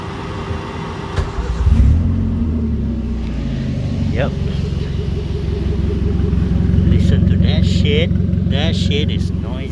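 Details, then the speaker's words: Perodua Kelisa (Daihatsu YRV) K3-VET turbo build with 3-inch straight pipe to downpipe, no muffler; engine blips then loud raspy droning exhaust; loud exhaust from straight pipe without muffler. "it is super noisy because it is a straight damn pipe three inch pipe straight all the way to the downpipe that is crazy"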